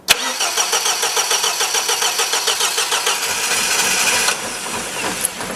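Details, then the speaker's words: 1977 MGB off the road for years, attempting first start: steady rapid cranking about three beats a second with a brief cough, never catching. "she wants to go I don't know why let's start it again let's have a go again let's see it's all about timing it's all about timing"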